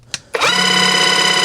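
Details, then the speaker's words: Battery-powered airless paint sprayer switched on: a loud, steady buzzing motor hum with a high whine, and no priming or spraying in any switch position. The pump won't prime because the one-way ball valve under the black filter in the cup sticks. "And all it does is make a lot of noise, and no matter what position you put the switch for spraying or priming, nothing happens,"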